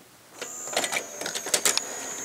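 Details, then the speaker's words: Pioneer CLD-1190 LaserDisc player bought secondhand: scattered mechanical clicks and whirs, then a faint steady high whine as the disc finally spins up after several tries. The owner suspects the laser lens needs adjusting, or wear from disuse. "I don't know what it is but I have to give this thing a couple tries before I get the function correctly there it goes now it's functioning"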